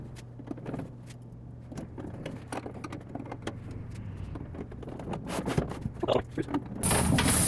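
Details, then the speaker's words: Laundromat coin counting machine: steady run of sharp clicks, several per second, as each quarter drops past the counter over a quiet spinning disc; normal coin counter operation. "And the counter is actually right here. You can hear that clicking. Each time a coin falls across there, it counts it."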